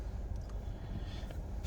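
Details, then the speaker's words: 2009 Ford Fiesta 1.25 Zetec 82ps, 82,000 miles, start-up outdoors: low, steady murmur with an even beat and no misses or knocks; a nice smooth idle. "and there you go so we've got a nice even idle there"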